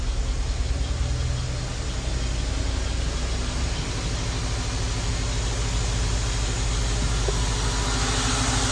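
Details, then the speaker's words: Honda Element (code P0301) after the code is cleared, idling in drive: an uneven, lumpy beat with about three stumbles a second and everything shaking, yet no check engine light. One cylinder is dead from a failed fuel injector. "But no, it's dead. Like it's shaking like See that? Everything's just shaking."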